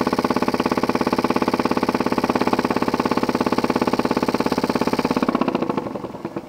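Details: Jensen 20G steam engine, bought used, with a homemade rubber or silicone cylinder seal; fast, very regular chuffing with a hard bump each stroke, slowing at the end, from a seal fragment loose in the cylinder. Fixed by remaking the seals properly.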